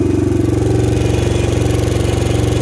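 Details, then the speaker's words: 2000 Honda XR100, blown top end, ice cold, kick-started, smoky with low compression: single thumps with fast hollow clatter on each firing pulse; piston slap from worn top end. "it has a little bit of piston flap, and yeah, it's a little smoky. So the bike, as you can tell, is pretty rough. It has pretty low compression."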